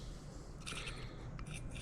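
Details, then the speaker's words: Distributor turned by hand gives two short scraping rasps; excessive shaft play lets the pickup drag and contact inside, possibly partly magnet drag; swapped-in hyperspark distributor from the C10 showed the same movement. "see how much it's moving I don't think that should be moving you can hear the dragging yeah you can actually hear I don't know how much that's the magnet and how much that's actually dragging"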